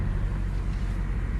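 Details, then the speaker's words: Toyota Camry with 115,000 miles, abandoned about six years, first start after oil check; steady, even low hum with no knocks or misses just after starting; idles smoothly, sounds healthy. "and it sounds healthy."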